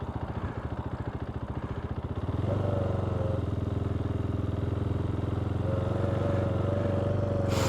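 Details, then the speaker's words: KTM 390 Duke single-cylinder after sitting a month: lumpy idle with uneven thumps, coughing and stumbling, then a slightly steadier throb, a rough idle on startup. "You can hear the bike coughing and carrying on."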